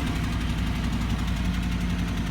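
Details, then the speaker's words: 1996 Buick Roadmaster Wagon, which runs terribly and puffs black smoke on throttle: holds a fast steady idle just after start-up before settling down; high idle, cause not pinned down. "Here, put my foot on the gas. Puffing black smoke, and then it kind of idles high as well"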